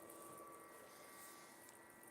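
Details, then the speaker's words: Xbox 360 powered up after at least a year unused: steady fast fan rush with a thin constant whine, no speed change; this one runs much hotter than the others and flashes a fault, cause unknown. "Wow listen to them fans this one's running much hotter"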